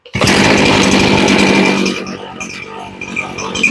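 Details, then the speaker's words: Poulan Pro chainsaw being carb-tuned after long storage; buzzy high-revving run that sags and stumbles unevenly as it drops back, low-speed mixture screw turned too low, taking too much fuel out and running lean. "now we went a little bit too low means we took a little too much fuel out of"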